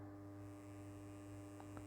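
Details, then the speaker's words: 1940s 12 V vibrator power supply for a PCR radio, producing just over 400 V HT; steady low buzz with an even hum and no crackle or stutter, vibrator supply working normally. "So I'll switch it on. You might be able to hear it buzzing away there. Yeah, not a lot going on there. It just buzzes and produces a voltage."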